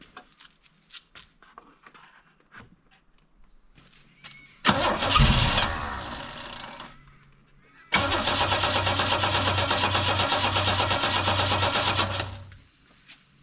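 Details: Holden UC Torana running off a temporary fuel cell, original tank fuel pump disconnected: cranks, catches after a couple of tries, settles into a steady even idle; runs healthy.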